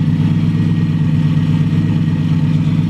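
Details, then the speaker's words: Four-door 350Z, first start after a new engine install and fixing a loose injector plug and ground, exhaust not yet fitted: smooth, even idle with a steady low rumble and no stumble or misfire. "oh she sounds perfect she sounds perfect [Music] oh man she is purred like a kitten"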